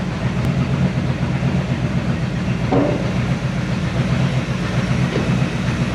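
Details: 1970 Chevy C10 pickup, 327 small block with HEI distributor, hard starting: lumpy, uneven low rumble with irregular pulses instead of a smooth beat; runs rough from incorrect ignition timing.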